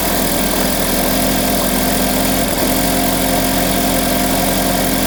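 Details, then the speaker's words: 2012 GMC Terrain 2.4L, about 124,000 miles, codes P0016/P0017, cold start after sitting overnight (quiet when warm): loud, busy metallic rattle over a steady idle from the front cover. Suspected stretched timing chain from a sludged tensioner; timing chain set with tensioner recommended. "so it's most likely what we're hearing a stretch time and chain rattle noise we going to go ahead and recommend a time and chain set on this thing"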